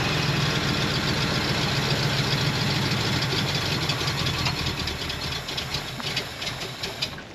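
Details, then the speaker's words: 1973 Ford F250 flatbed, FE390 V8, first start after long storage with fresh spark plugs and idle screw turned up: lumpy, wavering rough idle at about four pulses a second, fading out; clearly needs carburetor work. "Well, it clearly needs some carburetor work. I'll probably just put a different carburetor on it."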